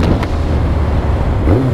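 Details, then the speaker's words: Yamaha XJR1300 inline-four with twin exhausts either side, pre-collection test ride on a damp morning: deep, even burble, then a clean quick blip as revs rise and fall on the downshift; healthy engine that idles at about 1200 rpm. "Doesn't that sound sweet? Ticking over a nice 1200."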